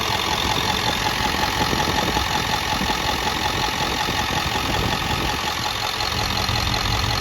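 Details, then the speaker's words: 6.4 Powerstroke diesel bored 30 over with a ball hone, already 6-7 thousandths out of spec, idling fully warm after a hard drive. An even clatter with a steady breathy rush is heard: mild blow-by, nothing serious. "It's all the way up to temperature. That's the blow by it's got, that's it."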